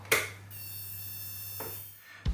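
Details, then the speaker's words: 12V switching power supply loaded with 20 W car bulb (~1.8-2 A): thin steady high-pitched whistle over mains hum, bulb barely glowing, output collapses; swollen failed output electrolytic capacitor found. "И лампочка еле-еле тлеет. То есть видно, что он не развивает напряжение. Ну и появился свист, который, я думаю, будет слышно в видео."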